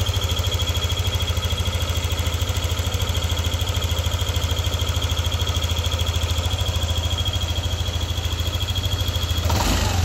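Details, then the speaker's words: Yamaha NMAX V2 scooter at idle with the engine hot: a steady thin high whistle over the even running note. It appears only when hot and disappears when revved. Cause unknown. "So ngayon para siyang pumipito. Yan. Pumipito siya pag mainit na yung makina pero pag ni-red mo, nawawala."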